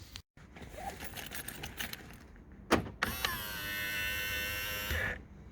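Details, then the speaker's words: Mk3.5 Skoda Octavia power-folding wing mirror after WD-40 on the spring base: smooth steady whir for about two seconds with no clicking; clicking came from the spring bottom, not gears. "there we go perfect and the the answer was the most obvious wd-40"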